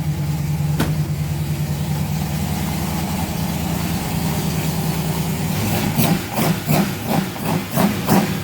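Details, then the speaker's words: Rover V8 race car first start after replacing both head gaskets with inlet manifold removed, battery at 12.3 V, not yet run up to temperature: deep lumpy idle with sharp throttle blips, firing on all cylinders, very smoky but sounding fit. "She sounds fit, doesn't she? Obviously smoky as hell."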